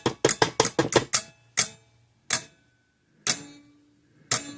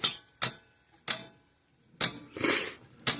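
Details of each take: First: 1950s–60s Parmac-made Sears 6-volt mechanical electric fence charger with gold-plated points, dead until the switch is tapped, then sharp clicking pulses, rapid then about one a second; intermittent switch contact, not the wire. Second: 50+ year old Sears 6 V battery electric fencer on bench power supply, after cleaning contact points: sharp dry clicks once or twice a second; fence charger pulsing normally.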